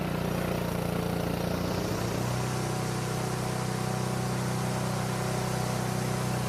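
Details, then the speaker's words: Honda lawn mower stored over winter that wouldn't start, now running after a carburetor-related fix: a smooth, even engine hum at steady speed with no misses, knocks or rattles. It sounds very healthy for its age. "now this engine sounds extremely good for being as old as it is it was definitely taken care of"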